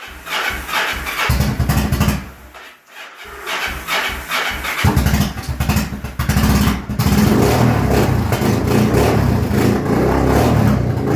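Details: Customer's 2002 Yamaha V-Star 1100 V-twin cold-started on choke after more than a year of storage, fresh oil and filter: cranks, catches with uneven stumbles, then settles into a fast, lumpy choke-held idle; normal start.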